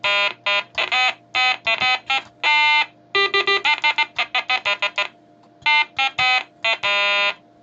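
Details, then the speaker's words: Major Morgan electronic toy organ after keypad repair with conductive carbon paint, reassembled: clear notes playing Row Row Row Your Boat, every key sounding cleanly with no dropouts; working normally. "fabulous there we have major Morgan and his phenomenal organ"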